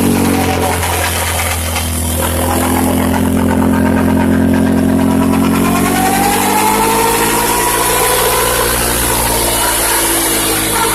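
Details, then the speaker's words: Can-Am with about 100 miles, snorkel, stock tires: loud whirring whine climbing in pitch with revs; persists after changing contaminated diff fluid; owner suspects the rear diff, cause unconfirmed. "I suspect it might be the rear diff I don't know how that's possible but let me know if you guys have heard that before"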